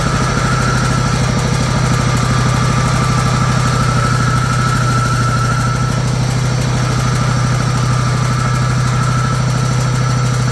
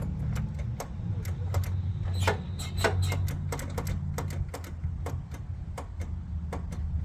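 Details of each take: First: Old John Deere GT262 garden tractor, sat for many years, started on a fully charged battery: low, fairly even thump at idle, about three beats a second, holding its idle; engine idling. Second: John Deere GT262 garden tractor that sat for many years; sharp scattered clicks over a low hum with no cranking. The solenoid engages but the starter motor fails, not the battery.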